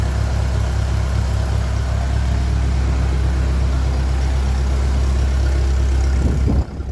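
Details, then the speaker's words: 1957 Ferguson 35 TVO tractor engine after valve clearances reset and offending push rod removed, warming up with a bit more rev: steady, even smooth beat, no tapping or misses; running healthy. "Bit more rev. It's warming up. Stay sounding like that. We're sorted."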